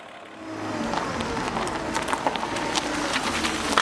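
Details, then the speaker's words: Mercedes with Bosch K-Jetronic injection, hot start after 20 minutes' heat soak, previously the problem, after fuel injector replacement: starts right up, steady even idle with no misses or stumbles; normal idle. "look at that it started right up and Idols fine listen to that baby"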